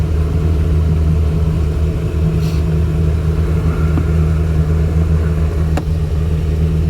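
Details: Boat engine after fixing the detached upper exhaust bellow and replacing a bad gimbal bearing and frozen U-joints, recorded underway from behind the windshield: smooth steady low rumble, no knocking or rattling, far quieter than before; normal running.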